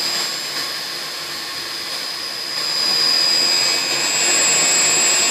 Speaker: And you can see by the pressure gauge that the reading is approximately 120. 92, raised again to 127, drop to 92, to 127. And no doubt you can hear by the sound of the pump motor the oscillation.